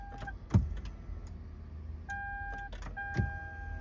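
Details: 2011 Lexus RX 350, towed in no-crank, no-start, battery reading 12.28 V: two single sharp clicks about 2.5 seconds apart over dash chimes, no cranking at all; starter solenoid click, starter not engaging.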